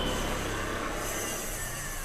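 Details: Ceiling fan that also runs slowly from a capacitor fault: a dry, rough rumbling grind runs continuously as it turns, coming from the top even though the opened bearing looked fine.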